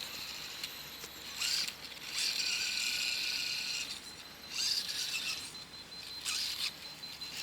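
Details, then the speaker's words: MJX H12Y RC car, brushless motor at max power setting, one wheel held to load it: short high-pitched whining bursts with ratcheting stutter; rolls slowly but cogs and slips once loaded. "Donc on arrive à rouler tout doucement, mais dès que ça force un peu trop, voilà, il patine. Il faut que je retienne une roue. Et là, cooking."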